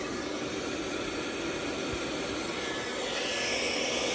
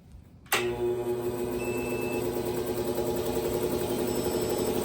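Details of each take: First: PowMr 3.5kW all-in-one inverter on a 48V 200Ah battery, under about 1.8 kW load, inverter at 31–32°C: a steady, even rush of both cooling fans with no rattle or wobble. Normal fan operation under load. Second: Large Craftsman air compressor on a DIY PowMr 3.5 kW all-in-one inverter with 48V 200Ah battery; second start attempt: the motor kicks in with a loud hum and rattle, runs about five seconds, then dies abruptly as the inverter shows overload and shuts down.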